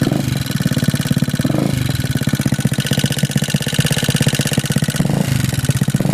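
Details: GY6 scooter engine just fitted with A12 cam, valves set to .05 feeler gauge: small single thumps at steady idle with a fast, even tick on every beat; top-end valvetrain noise, cause not confirmed.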